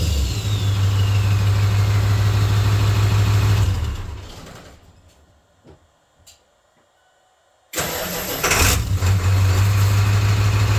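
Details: 1996 Ford F250 OBS turbo diesel, first runs after 3" downpipe and 4" full exhaust install: deep, even idle with low rumble and turbo hiss, drops out, restarts cleanly and settles smoothly; not much louder than stock, healthy.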